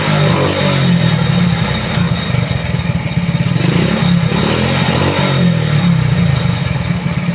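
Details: Motorcycle that wouldn't stay running despite strong spark, good compression and a cleaned carburetor, after swapping in a CDI from another bike: steady even beat with throttle blips, now running clean and smooth.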